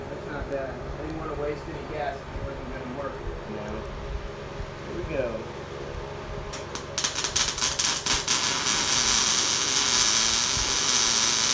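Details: Everlast Lightning MTS 275 MIG welder test run after troubleshooting wire feed that stopped, skipped and stuttered: quiet shop hum, then a steady, even crackling sizzle from about seven seconds on. Arc and wire feed now run smoothly.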